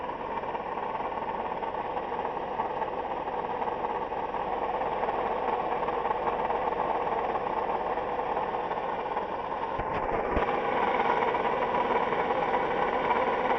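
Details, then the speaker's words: Toyota Highlander 2GR-FE at idle: steady rough, even whirring grind from one side of the engine; noise vanished with belt removed, an idler roller replacement didn't help; worn water pump bearing, noise gone after the pump was replaced. "Так, шумит с этой стороны. Похоже на шум помпы."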